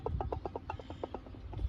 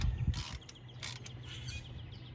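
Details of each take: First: 1999 Chevy Silverado 1500 4.8, water pump pulley rocked by hand: dry clicking knocks about eight a second; front bearing worn and loose, coolant leaking from weep hole. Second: Hand-spun pulley on a 1999 Chevy Silverado 1500 4.8 during water pump and pulley replacement turns with a low, even hum and no grinding, scraping or rough bearing noise; this pulley is good.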